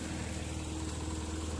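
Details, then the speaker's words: Tata Nano engine just after a cold start, heard from the rear engine area: steady, slightly raised idle hum with an even low beat and no knocks; the owner says the extra revs come with a cold start, a normal fast idle. "आज हम देखेंगे जब भी call start हम कर रहे हैं तो आप देख सकती है सुन सकते हैं कि इस वर्ष है साढू है है पूल की ज्यादा आ रही है"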